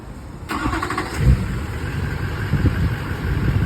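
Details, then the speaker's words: 2005 GMC 2500 HD diesel pickup started with a newly installed Viper remote start, which runs the engine about 10 minutes. Brief crank, then the diesel catches and settles into a low, steady idle with no misses; clean start. "it's got all kinds of other little features I'm just going to run down the basics with you guys it's got remote start"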